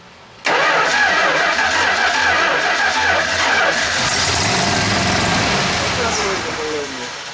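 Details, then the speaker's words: 1970 Plymouth Road Runner after sitting over 25 years, first start out of gear on a shot of gas poured into the carburettor, fuel pump untested: sudden catch into a loud, ragged V8 run that slowly settles. "we just want to know if this baby's going to run okay we're going to give it a shot"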